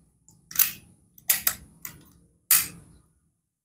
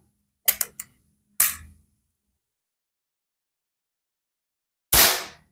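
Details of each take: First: Predator PCP air rifle with erratic accuracy: four sharp shots of uneven loudness, two strong, two softer; inconsistent shot sound, hammer spring suspected, not confirmed. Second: Predator PCP air rifle test-fired after reassembly with barrel transfer port aligned and bolts tightened: a few sharp, crisp cracks with even decay and no odd ring; shot sound clean and consistent.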